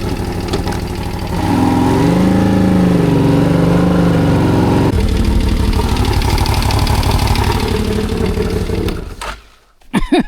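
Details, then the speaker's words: CFMOTO CForce 1000 ATV (2V91Y engine). The idle is uneven and lumpy with a steady fast tapping from one cylinder, said to be the second. Suspected valves, timing chain or tensioner; engine knock at idle. "Клапана что ли стучат? Вот с этого цилиндра стук идёт."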